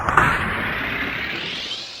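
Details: 1946 Ford Super Deluxe Flathead V8 starter, bench test after cleaning the armature commutator and undercutting the mica: high, smooth whir sweeps up then fades as it coasts down, no grinding or catching; spins freely.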